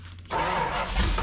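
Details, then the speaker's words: 1973 Dodge Dart, 340 V8 with 727 transmission, sat in a garage for years, revived the same day: catches quickly and settles into a full, even rumble with no misfire or knock, running really well. "a working transmission and an engine that runs and it runs really really good"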